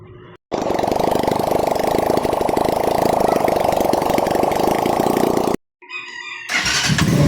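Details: SS-X200 after repair of hard starting and a ground-down bendix drive: starter catches and the engine fires at once, settling into a steady, even beat with no misfires; starts and runs healthy.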